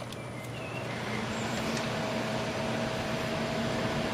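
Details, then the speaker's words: Scythe Susanoo CPU cooler with four 100mm fans, turned up to maximum speed: steady even rush of air with faint low hum, a fair bit of fan noise but no rattle; normal operation. "there is a fair bit of fan noise then."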